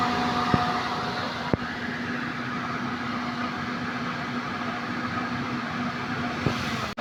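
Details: Suzuki multicab (D17) whose owner reported a noisy, rough-sounding AC compressor, checked with pressure gauges; steady even engine and compressor drone with no rattle or grind, normal pumping at 175, then a brief drop as the compressor clutch cycles off. Normal AC compressor operation.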